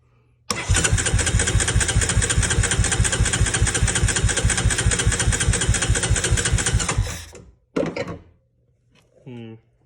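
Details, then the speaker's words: 2003 Honda Recon 250 ATV, sat unrun for many years, choke opened: steady, even starter cranking for about six seconds with no firing or catch, cranks better than before; crank no start, before trying starting spray, new coil and CDI. "cranks a lot better let's put the open the choke"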